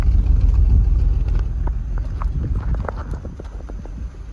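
Low cold-start rumble with uneven light ticking, about three a second, fading as it warms; unusual noise, cause not yet pinned down.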